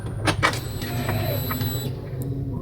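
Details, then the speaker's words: Honda Beat with a makeshift fix for a broken left brake switch, started without holding the brake: a few clicks, a brief starter whir, then it catches at once into a low, even idle. "Ini langsung saya pencet tombol starternya aja. Apakah bunyi tuh? Langsung bunyi guys ya."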